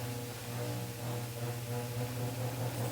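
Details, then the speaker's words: Restored 1967 GE W-22 three-speed fan running on low: steady low motor hum with a faint rhythmic squeak about twice a second from the rubber motor-mount grommets. "got a little bit of grommet squeaking. And this is a really cool fan. I love the startup sound on it."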